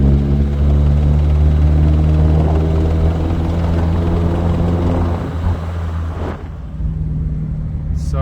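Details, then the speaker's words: Big-turbo Audi A4 B7 1.8T 20V after a dyno run, with oil and filter changed and head re-torqued; driving with oil pressure steady: faint rapid knock, about four per second, following engine speed and seeming to echo through the block to the head. Possible bearing knock, unconfirmed. "Unfortunately, it seems like it's echoing through the block to the head."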